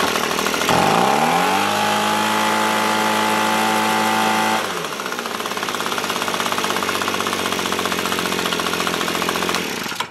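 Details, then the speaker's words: Echo PB265LN leaf blower two-stroke, freed from seizure, fuel leaking: high uneven idle that sags midway; idle screw turned all the way, gas-soaked air filter suspected of choking airflow; leak later found at split vent line. "this smells like gas so let's try it if that's soaked it's not allowing airflow [Applause] look idle screw all the way"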